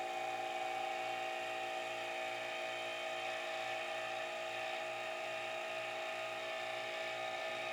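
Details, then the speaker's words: Harvest Right freeze dryer vacuum pump sealing 14 quart mason jars: steady whine over slow low pulsing, sounding strained and heavy, meaning it has pulled about full vacuum. "I didn't really time it, but you can hear the pump. It's struggling a little bit. That means it's sucked about as much air out of there as it can."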